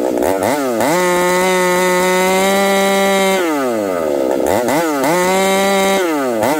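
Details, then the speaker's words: Ported Husqvarna 371 XP two-stroke chainsaw with new coil, carb set about three-quarter turn after too rich: revs up, holds, then sags and surges in a wavering warble while cutting; carburetor issue suspected, not confirmed. "I think we got a carburetor issue you guys hear that see how it's kind of breaking up acting strange so we'll have to dig into this carburetor further"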